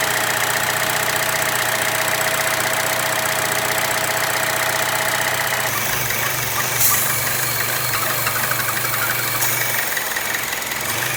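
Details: Chevy Cruze/Sonic 1.4L after PCV valve/valve cover replacement for rough running and P0106/P0171 vacuum leak: fires and settles into steady even idle, smooth hum, no misses or hiss; normal idle.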